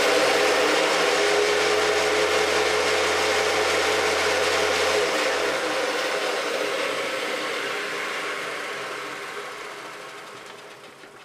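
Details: Hoover Decade 800 upright vacuum with bushings oiled and fan swapped: roars with a heavy low rumble, then winds down; vibration traced to the unbalanced brushroll, not the motor or fan.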